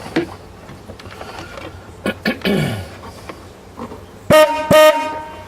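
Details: Old car horns after their contact points were brushed up during a tidy-up: two short, bright honks with a steady buzzy tone over light handling noise. The horns sound strong and clear; working properly.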